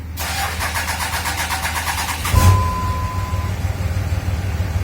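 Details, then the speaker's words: 5.9 Cummins diesel with two-year-old batteries and starter. Cranking is sluggish and hesitant, about six compression pulses a second for two seconds, before it fires and settles. The owner suspects the starter motor, which is under warranty. "thinking that starter motor because that was kind of hesitant kind of slow"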